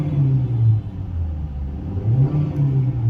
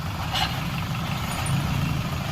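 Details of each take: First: Hyundai i20 after gearbox service for a noise caused by oil fully leaked out and dried up: engine revved up and settling gives a clean rising and falling drone, no whine or grind from the gearbox after the trial run. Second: Hyundai i20 gearbox gives a steady low rumble with a rough, gravelly undertone at idle, noisy when the clutch is pressed; the gearbox oil had completely dried up from a leak, and the gearbox was opened and serviced.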